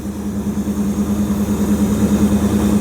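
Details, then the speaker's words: 1929 Chrysler 360 with Edelbrock AFB, after straightening bent metering rod (rich passenger side) and opening plug gaps from 0.020 to 0.035 in: even, quick idle pulse, steady low hum, about 500 rpm higher than before, no misfires. "It sounds like it's idling about 500 RPM higher than it was. So, not getting any missing out of here at all."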